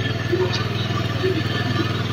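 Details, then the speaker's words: Honda Beat carbureted scooter, owner complains of very high fuel consumption; just started, rpm sits too high with a fast, wavering pulse and won't settle to a smooth low idle, suggesting an over-rich air-fuel mixture; high, unstable idle. "oke oke motor sudah menyala dan ini RPM juga terlalu tinggi ini"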